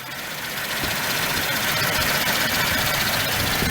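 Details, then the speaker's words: Truck idling with a DIY oil catch can (Harbor Freight inline filter): steady sucking hiss as the catch-can hose collapses under vacuum; a tube is needed inside the hose. "Okay, I turned it on, and you hear that noise? Look at this, it's collapsed. So I'm going to have to get a tube or something inside"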